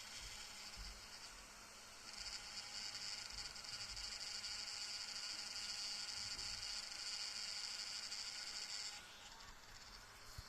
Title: DJI air 2s gimbal stuck & rattle sound & Motor overloaded